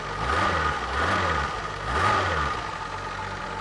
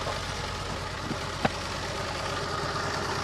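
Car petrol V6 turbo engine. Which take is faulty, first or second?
second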